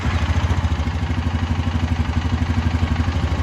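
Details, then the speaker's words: 2020 Honda Rubicon 520 ATV after being swamped, idling: steady single-cylinder thump with a light rhythmic knock; sounds like the top end; suspected cam chain tensioner or valves out of adjustment, owner fears crank, unconfirmed. "sounds like coming from top end take your gas tank off you serious take you guys take off you either killed the tensioner on time and chain or your vows are out that's what it sounds like to me"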